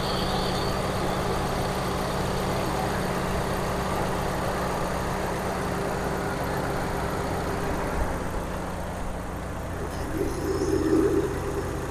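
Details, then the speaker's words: Car previously overheating, repaired with the oil flushed of water, after hundreds of km: freshly started, the temperature stays below half. Steady, soft, even idle with no whistle, ticking or roughness. "Ni baru start, dia tak sampai separuh, dia maintain lah. Enjin pun bunyi lembut."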